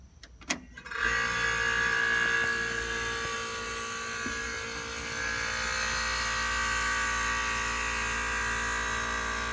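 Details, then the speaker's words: Philco Noiseless 6800 BTU window air conditioner from the 60s–70s, compressor run on its own after a delayed start: brief clunk, then steady even hum, audibly building pressure; compressor healthy, owner wonders about a possible supplemental starting winding. "so that sounds pretty good and you could hear it build up pressure there so there ain't nothing wrong with this compressor"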